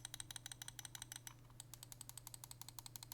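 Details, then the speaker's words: Corsair Katar Pro XT mouse (73 g, PMW3391, Omron 50M switches) sound test: quick even ticking about eight a second with a loose clattery edge; the scroll wheel rattles as it turns. "but the scroll wheel itself is just rattling you can kind of hear that and i i i don't like it"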